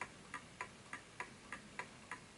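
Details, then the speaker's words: Smiths Enfield oak pendulum mantel clock on a level surface: crisp light ticks about three and a half per second in a steady rhythm; clock running in beat. "it's ticking on its own quite nicely."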